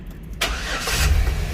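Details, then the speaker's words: 2006 Chevy Express after diagnosing a P0300 random cylinder ignition misfire, after the repair: a short crank, then the engine catches cleanly and settles into a steady idle without stumbling. It is a normal start with no misfire. "now the car is no longer misfiring there you go all right now we're all set to go"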